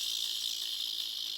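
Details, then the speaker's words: Gaming laptop fan making a harsh, steady high-pitched scratching screech; one fan spins fine while the other's blades scrape the housing from a worn bearing. "it likely means that either something's stuck in your fan blades or the fan is shot."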